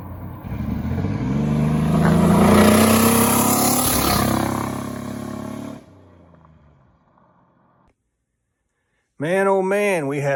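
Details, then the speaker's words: Turbocharged 4.3L 2001 GMC Sonoma on hard throttle pulls, custom turbo kit; a spark plug or plug wire popped off, likely leaving it running on five cylinders: rough, uneven beat under exhaust roar — misfire under acceleration. "so I think in a lot of that video that you see here this thing's just uh running on five cylinders so it's pretty impressive"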